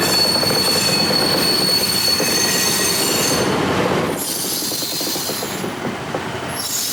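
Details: 1953 GE 80-ton long-frame diesel locomotive, last run 1998 by the Navy, just revived after temporarily twisting the contactor coil wires: rolling rail clatter with high steady wheel squeal while moving; loading and pulling normally. Air throttle has dead spots, likely loose wiring.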